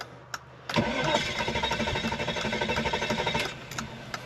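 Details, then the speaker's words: Car cranks steadily at about four turns a second for nearly three seconds, then stops without catching; crank no-start, cause unknown, and the owner says it could be many things. "it just does not want to start it could be all kinds of things to be honest with the way it's behaving I don't really know"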